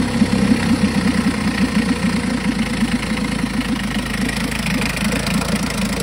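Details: 1952 Johnson SeaHorse 10hp two-stroke outboard running in a tank, revived without new parts; even steady idle putter, no misses or knocks; runs good, though needs pull rope, O-rings, grip and small gas leak fix.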